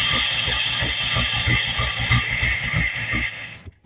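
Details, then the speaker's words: Junked Dodge Dakota V8 with dead fuel pump, running on fuel hand-fed into intake: uneven low firing thumps under loud intake hiss for about three seconds, then it dies; fuel starvation, can't stay running. "We got the fire and um can't drive it because it's not going to stay running long enough."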